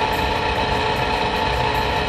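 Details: Rheem power vent water heater vent blower motor running during a burn cycle: steady drone with a fixed high whine and rough gritty edge that ramps up after about a minute; worn blower motor bearing, getting noisier over weeks.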